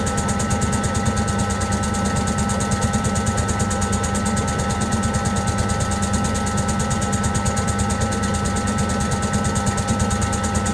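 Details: Servis (Eudora) 386 compact 3kg washing machine trying to spin after the main wash: rapid uneven thumping about three beats a second over a steady motor hum; the load is unbalanced, so spin was slow to start and short.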